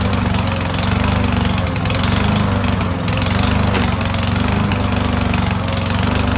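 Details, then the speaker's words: Yardworks lawnmower stored for years in a barn, first start on old oil, self-choked, running off the carburettor bowl: loud, choppy note surging and sagging before settling; slightly smoky; engine hunting. "So it was a little kind of hunting for a spot kind of until it kind of got its feet wet, I guess, a little bit."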